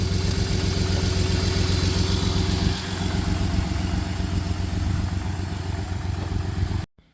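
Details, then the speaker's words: 1993 Dodge Caravan, Chrysler 3.0 V6 with a blown head gasket and a broken motor mount, possibly out of coolant. Lumpy, uneven idle with a regular stumble and loose exhaust chuff; obviously misfiring but idling, not smoking much. "It's idling okay right now. Obviously missing, but it's idling. It's not smoking too bad right now either."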